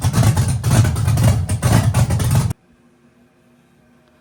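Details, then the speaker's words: Chevy truck with big-cam V8, on new tune adding timing to the startup table: loping unevenly about two beats a second, idle hunting and stumbling; rough idle, owner thinks idle could be raised, timing suspected. "probably idle that up to be honest with me. We could probably idle that up just a hair."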